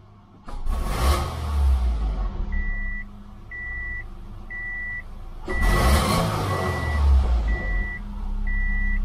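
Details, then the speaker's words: 2006 Subaru Impreza 2.5L single cam after scraping buildup off the dirty MAF sensor: two quick clean blips rising and settling smoothly, reversing beep in background; response much better. "okay that was better gotta drop again that's much better actually"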